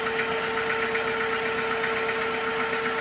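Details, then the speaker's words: Engine idling with P0300 misfire: uneven, lumpy stumbling beat about two and a half per second, engine wobbling and trembling instead of smooth; dead cylinder caused by a bad ignition coil. "Instead of the smooth running that this engine normally has, it sort of wobbles in the engine bay and jumps around a bit."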